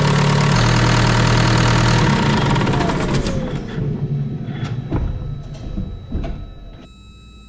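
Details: John Deere 6115M tractor diesel after oil and fuel filter change: even, steady clatter about four beats a second, then revs fade smoothly as it winds down; normal diesel running.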